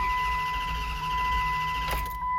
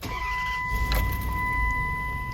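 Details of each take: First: Dodge Durango 4.7 L V8 with intermittent crank-no-start: starter spins steadily over a constant chime but never fires; throttle position sensor suspected. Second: Dodge Durango 4.7 V8 (2004–2009) after the ignition fix for intermittent crank-no-start: cranks briefly and catches cleanly into a steady idle near 1000 rpm, down from about 1500 before; normal start.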